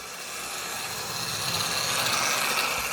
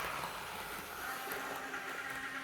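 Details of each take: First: Old analogue Hornby locomotive with slipping motor, not run in a long time, running on track; small electric motor whir with light gear buzz rising and easing with speed: normal motor running, later cut out. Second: Older analogue model locomotive power car, unrun for several years, on test track: steady rushing buzz with faint thin tone throughout; runs smoothly but mechanism noisy, needs a service.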